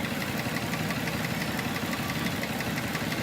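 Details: Nissan Murano V6 with code P0303: rough idle with an uneven stumble about three times a second over the engine drone; cylinder 3 dead from low compression, found by a relative compression test.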